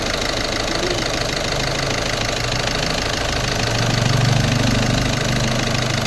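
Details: Volkswagen Polo 1.5 diesel after timing kit replacement, just started with plain water in place of coolant, not warmed up: even idle clatter with a steady rhythm, a slight rise in the middle and no odd knocks; healthy idle.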